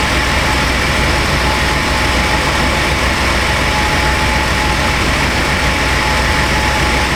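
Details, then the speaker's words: 1996 Chevy Astro van idling after replacement of a leaking spider injector that had caused misfires and very rich running: a smooth low hum with no skips, stumbles or surges. Runs cleanly; normal idle. "Well, let's go into some live data, see what our fuel trims and such look like. Smooth as a kid."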